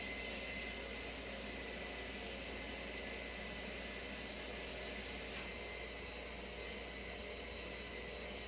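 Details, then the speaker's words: 2019 Nissan Rogue SV AWD, ignition on, engine off, scan tool rear brake pad replacement function: faint steady electric whir for several seconds; electric parking brake calipers retracting normally. "which I will do start now you can hear the calipers retracting"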